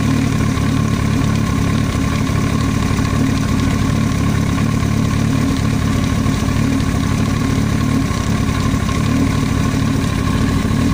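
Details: Yamaha YZF-R1 at busy idle: fast, light ticking clatter over the steady rumble, an extraneous noise from the cylinder head; top-end knock.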